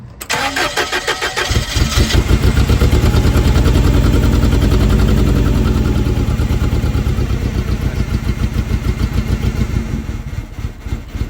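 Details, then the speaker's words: Forklift, new spark plugs and leads, cleaned throttle body: cranks, catches, then runs with an uneven, stumbling low beat; misfiring, owner suspects spark plug leads fitted in the wrong order. "good everyone I have got a forklift it's not running good and misfiring um I'm trying to find out what's the problem"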